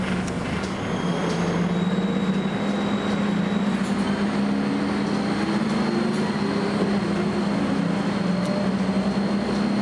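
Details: Volvo B10BLE bus recorded inside while moving: a faint steady high-pitched whine above the engine drone and road rumble; source not identified.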